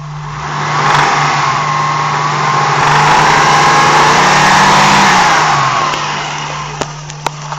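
Engine revs up and settles back, with a loose buzzing rattle riding over it and a few sharp clicks near the end; rattle source unknown.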